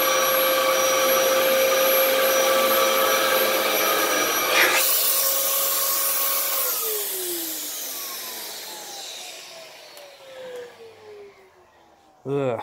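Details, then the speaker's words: 15-year-old Dyson DC07 vacuum: motor whine surges and drops as the brush drive clutch starts and stops, caused by worn belts in the clutch slipping; needs a new belt. "yeah you can you could hear that clutch just starting and stopping and starting and stopping or i should say the belts in the clutch more so than the clutch itself"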